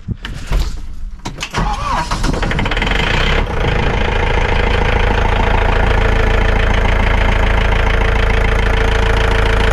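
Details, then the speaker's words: John Deere diesel after replacing a dry-rotted, leaking fuel line and priming the system: a few seconds of cranking catch into a steady, even diesel clatter with no misses; healthy running, checking for leaks. "I'm gonna let that run for a few minutes and uh we'll check on it make sure it doesn't have any leaks"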